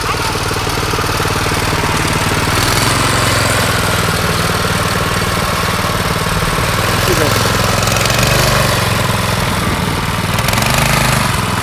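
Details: Yerf Dog go-kart with a Predator 212 engine and stage 1 kit, replacing the stock Tecumseh, gearing unchanged, on a test pass: loud even single-cylinder drone without stumbling or knocking; quieter, smoother and faster than before, pulling well.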